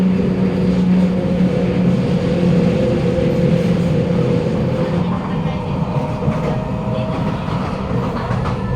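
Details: SMRT Kawasaki Nippon Sharyo C751B train 351/352, car 1351 in terrible condition, Bukit Gombak to Jurong East: accelerating from a station gives a low drone with a higher tone on top. These are weird acceleration noises of unknown cause.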